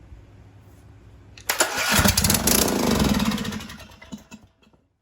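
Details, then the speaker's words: Briggs & Stratton 19.5 HP engine from an old John Deere riding mower, muffler refitted, running on carb cleaner: about two seconds of rough, loud firing, then it stumbles and dies. The fuel pump and fuel delivery are tested next. "Okay, we're going to try this again. I put the muffler on. I have the fan blowing it out so we won't die of carbon monoxide. Let's try it one more time before we move on to the next step, which will be checking fuel delivery."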